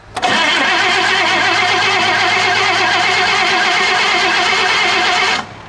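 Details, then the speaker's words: 1954 Chevy Bel Air with fuel splashed down the carburetor: steady fast cranking for about five seconds, never fires; crank, no start, possibly no spark with the points needing cleaning. "put another splash down that thing it might not have any spark those points may need to be cleaned"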